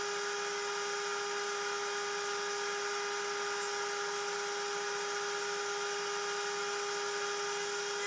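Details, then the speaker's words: Genmitsu 3030 PROVer Max desktop CNC with 1.25HP Makita router replacing the stock 300W spindle, same aluminium G-code: steady high-pitched router whine, even, no chatter or wobble; vibration gone, smooth cut, much cleaner finish. "it sounds much better I can't hear the vibration anymore the cut looks much cleaner"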